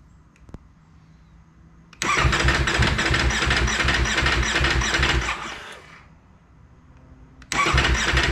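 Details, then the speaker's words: 2019 Ducati Panigale V4 S cold start after sitting about a week: starter whirs about three seconds in even pulses and dies without catching, a second cranking burst also fails; cold hard-start issue, cause never found, avoided by keeping it on a battery charger. "all right we're gonna see if the bike does the cold start hard start issue uh last couple times i started wasn't doing it so let's see if it does it again"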